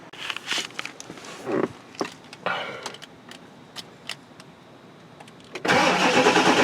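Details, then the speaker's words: Early 1999 Ford F-350 7.3 diesel cranking after glow plug relay replacement (Motorcraft DY860; relay reads 11.7 V); quiet clicking, then engine catches suddenly and runs loud and even; normal start, relay had failed causing hard cold cranking below about 50°F. "now we can crank it with a little plug really working"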